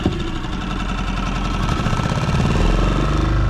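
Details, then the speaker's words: Small outboard on a Wildcraft boat repowered with a Yamaha F90 main motor, just restarted warm with choke at the indent mark; steady low putter, even firing with no misses. Normal outboard idle. "There, look how easy that starts."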